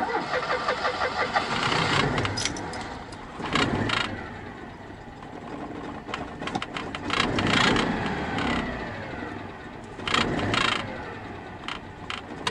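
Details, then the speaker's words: Citroen 2CV flat-twin at idle: loose irregular buzzing rattle swelling in bursts, changing when clutch or brake pedal pressed, thought metal against metal; traced to a rubber grommet that had come out. "I tried it seems to be coming from there and I can't fix it's there is it I think that there's metal just against metal"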